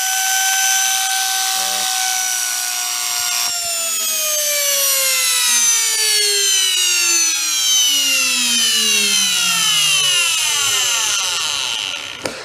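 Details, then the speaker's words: Trash-picked Hoover Elite carpet shampooer, previously smoked motor run unloaded without its fan: a high-pitched scream falling in pitch as it spins down, with brushes sparking and smoking; owner suspects brushes fitted backwards, not confirmed. "put it run for a second been screaming it's got Fire coming out of it oh the brushes those brushes are smoking"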